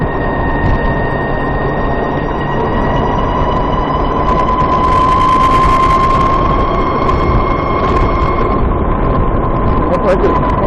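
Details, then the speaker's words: VX1 warmed up, lower-speed road section under load, where the chirp is usually worst: thin steady high-pitched chirp over engine and road noise, rising a touch with speed. Suspected transmission chirp, cause unconfirmed. "And the bike is warmed up now. This is when it's usually worst, at lower speeds under load."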